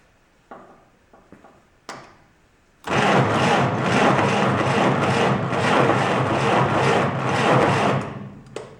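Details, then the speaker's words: 1949 Willys pickup, F134 engine, 6-volt system with a mechanical push-down starter. Slow, even, unlabored starter churn at about two and a half turns per second; normal slow cranking. "Now it being 6-volt, it's not going to sound like a regular car. It's going to turn over slow."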